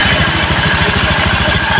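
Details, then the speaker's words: Honda Beat FI eSP scooter engine freshly rebuilt from scratch, idle: even steady putter, no ticking, roughness or final-drive droning, where before it wobbled and ticked; healthy. "Dan ini motor halus ya. Sekarang mah tidak ada bunyi kepeletek ataupun kasar suaranya."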